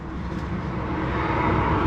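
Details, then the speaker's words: 2010 Fiat Panda 4x4 1.2 8v petrol: rough, uneven, shaking idle with a lumpy stumbling beat, misfire on cylinder 3; plug lead looked loose. "that'll be fabulous look how that baby is shaking it's shaking we are going to see if we can diagnose this misfire problem"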